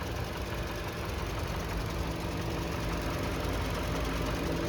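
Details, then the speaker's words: 2021 Toyota RAV4 LE, clean engine bay, idling: steady low hum with no knocking or ticking sounds. Finding: normal idle. "look for excessive rust or corrosion anything that stands out and you can see just how clean it is this thing is awesome no knocking no ticking sounds"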